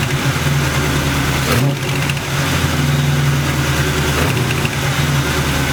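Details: Internally stock LT1 V8 with about 70-80k miles and Hooker long-tube headers, idling with a couple of blips. A sharp ticking quickens with revs; it was an exhaust leak at the driver's side back header port, later tightened and fixed.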